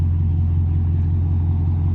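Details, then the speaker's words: 2003 BMW 540iA E39 V8 at 170k miles with new water pump and thermostat, idling after a few seconds of warm-up; super quiet, even idle with no ticking or knocking, only a slight suspected exhaust leak, normal. "just how it sounds super quiet doesn't sound like there's any ticking any knocking nothing"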